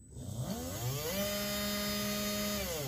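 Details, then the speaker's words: FTX Outback Fury RC crawler, gearbox removed after a muddy run left the driveline noisy; motor run alone whirs up, holds a clean steady whine and winds down smoothly; normal motor, not the noise source. "we're just double-check that it's not the motor making any noises because obviously all the time it's mesh with the gear and you're trying to turn the wheels it's also moving the motor so that could be the noise"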